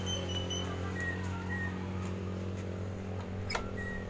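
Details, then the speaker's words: Yamaha Mio GT automatic scooter at idle: steady low engine drone that stays fast and never settles to a slow idle; idle speed set too high, before adjustment. "katanya guys di putaran Hai stasioner nya pada langsam dia terlalu tinggi Jadi kurang enak dengar suaranya gas"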